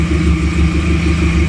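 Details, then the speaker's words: Nissan Platina / Renault Clio 2, heard at the exhaust at idle, unstable rpm worsening with the air conditioning on and gasoline smell: lumpy, uneven beat with slight explosions and stumbles. Cylinders misfiring from failed ignition coils. "in fact if we come here for the exhaust they are heard some slight ones like explosions I don't know if you can hear it this means that the cylinders are failing and in this case as I'm telling you it's due to a failure of the coils"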